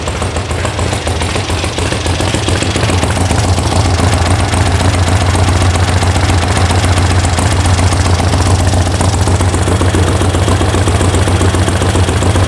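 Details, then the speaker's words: VW sand rail air-cooled flat-four after electronic ignition install, warm start: steady, even low throb at idle with regular firing and no misses or knocks; healthy, though owner suspects a loose internal exhaust baffle. "Okay, well, that works. This works. Everything works."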